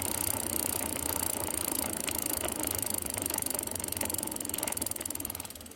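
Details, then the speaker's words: Islabikes Beinn 20 rear wheel cranked over with the microphone held close: loud, rough ratcheting clatter with gritty grinding from worn freehub bearings; the freehub couldn't be removed, so a new wheel was built. "i don't know how that sounds to you but it sounds absolutely horrendous to me"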